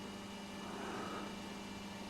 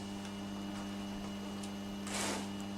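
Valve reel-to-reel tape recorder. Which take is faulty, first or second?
second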